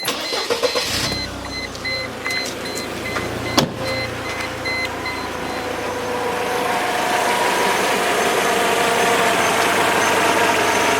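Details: Mercedes W202 C200 after tensioner and V-belt replacement, just started: starter whirrs, engine catches and settles into a smooth, even idle with no knocks or ticks; abnormal noise only appears when revved.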